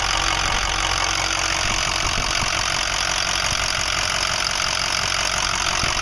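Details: 2005 Ford 6.0L Powerstroke diesel, 80–100 miles after reman injectors, new fuel pump, filters and oil: idle with an irregular knock about two to three a second over loud clatter, getting worse; owner suspects harness, FICM or injectors.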